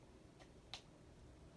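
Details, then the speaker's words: Hunter Coastal Breeze Plus ceiling fan, made before 2008: faint uneven light ticks about every half second; the fan wobbles because one blade bracket is crooked and could not be bent back. "And it does have a wobble because one of the blade brackets on this fan are a little bit crooked and stuff."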